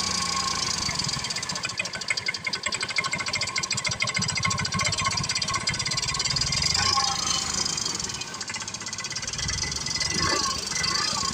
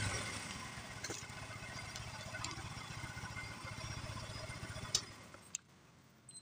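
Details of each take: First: Yamaha Mio M3 scooter idling and revving with a fast rough ticking from the cylinder head; valve train noise, with camshaft and valve clearance to be checked. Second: Yamaha Mio M3 scooter after repair of a rough ticking idle: the engine now idles smooth and even with no ticking, then shuts off; the cause was the camshaft and the valve adjustment.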